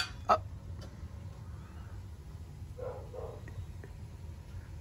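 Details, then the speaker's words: Pipes on a Burnham gas-fired steam boiler, after relighting the pilot and replacing the thermocouple: single sharp metallic bang then faint ticks, steam hitting trapped condensate, not water hammer. "vous savez que la chaleur fonctionne quand vous es ici les tuyaux claquent"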